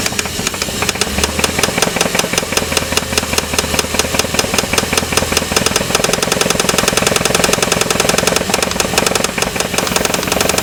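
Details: 4.7 V8 engine running with a sharp, irregular knock over the engine note, roughly once a second, clearly heard; engine was later torn down to find the cause, which is not yet known here.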